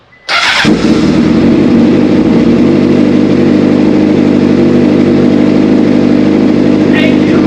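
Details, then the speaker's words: Motorcycle after replacing a shorted, fried wiring harness and ECU: quick crank, then it fires and holds a loud, steady, even idle; healthy start and idle after the repair. "I'm gonna start it back up again. Dog, that sound."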